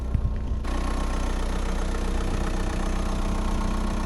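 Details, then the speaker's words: Excavator diesel after a melted, loose battery terminal was repaired, with a fuel problem still outstanding: a low, steady thrum at an even pace with no knocks or misses, idling smoothly. "oh my gosh guys beautiful sunny day a running excavator what do you think time to go to work"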